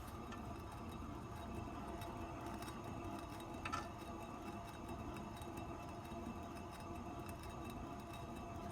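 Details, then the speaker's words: Renault Twingo 1 raised, handbrake released, rear wheel spun by hand with phone held close: steady gritty rumble and faint whir from a worn rear wheel bearing, heard as a hum above 50 km/h when driving. "normalement on ne devrait pas faire autant de bruit à la rotation donc"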